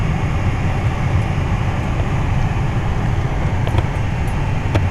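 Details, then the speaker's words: 2010 Toyota Tacoma regular cab after dealer replaced the HVAC blower motor: steady even low airflow rumble with no squeal, ticking or rubbing; brand new blower nice and quiet. "so yeah it's nice and quiet drove it from the dealer and got home like 10 15 minutes ago [Music] no noise brand new blower"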